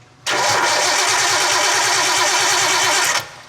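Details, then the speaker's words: Nissan R32 Skyline, first start attempt after 4 years: about three seconds of steady starter cranking that never fires; no spark, as 12 V at the coils drops while cranking, suspected main relay cutting out or heavy draw, with many cut wires. "it goes away so either the main relay is shutting off i'm gonna go to crank it or there's just a crazy draw"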